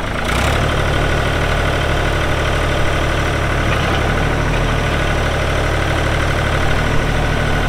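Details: 1999 New Holland TN65S 4WD diesel tractor, cab with AC, 8-speed hydraulic shuttle, NH 33LA loader, 4,162 hours: deep, even diesel idle with smooth unchanging beat, no knocks or misses; AC cold, hydraulics strong, engine sounds good — normal diesel idle.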